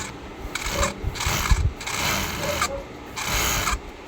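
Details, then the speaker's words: Overlock sewing machine, loud when running as if broken glass were inside: harsh raspy rattling in uneven bursts; part near the handwheel seems loose or detached, suspected cause, handwheel removed to inspect. "Mga lods, ito naman, ito naman yung napakaingay niya pag pinapaandar mo para may basag na butan"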